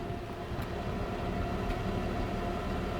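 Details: Heavily modified off-road Jeep Wrangler with rock-crawler lift at idle, heard from the rear: rough, lumpy idle with an uneven dunka-dunka stumble about three to four times a second; multiple misfire, mainly cylinder number one.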